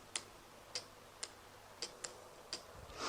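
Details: Automotive relay on a bench, about 12 V fed through a switch to control terminals 85/86 with an oscilloscope on the control side. Sharp, crisp single clicks at irregular intervals as the relay pulls in and drops out; normal relay operation.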